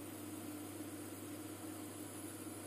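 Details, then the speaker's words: IKEA Tillreda portable induction cooktop at level nine, drawing about 1800 W: steady low hum, faint high whine and fan hiss, even and unchanging, quieter than other cookers; bench vibrating; normal full-power operation. "this is a lot quieter than some of the others I'll give it that 1800 watts"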